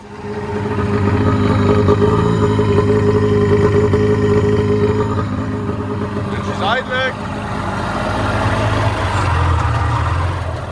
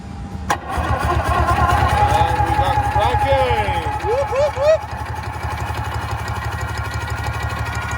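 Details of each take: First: Sea-Doo XP with a Rotax 657 two-stroke, unused for 15 years, running after petrol was sprayed into the carbs: the note wavers and dips and won't rev out fully; rough running, carburettor and fuel-system problem suspected. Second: Sea-Doo XP jet ski with Rotax 657 engine, unrun about 15 years, battery hardwired to starter and grounded to block: starter spins the engine with an even, firm pulse about three and a half a second, no misses; good compression.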